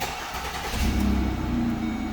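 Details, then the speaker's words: Ford Escape/Focus after replacing the ignition lock cylinder housing to cure a no-crank no-start: brief starter crank, then the engine catches and settles into a steady, even idle; a clean start with the key and no screwdriver needed. "all right moment of truth see if this thing works there we go all right fingers crossed look at that no more screwdriver i can actually use a key like a normal human being"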